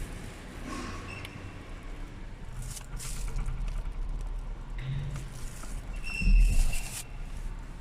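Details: Skoda Octavia A7 (Octavia III), 34,000 km, complaint of severe squeak when braking: sharp high metal-on-metal squeak as the car slows.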